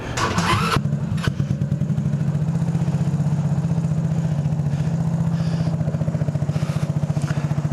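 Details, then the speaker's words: Go-kart single-cylinder engine with the intake snorkel and airbox disconnected to improve airflow, exhaust back section fallen off: brief cranking, then it catches and settles into a steady even putter with no misses or knocks; normal start and idle. "sounds pretty good I mean really to be honest for this thing not having an exhaust well it has an exhaust but it doesn't exactly work how it's supposed to because the whole back of it fell off for having that problem it really doesn't sound too horrendous"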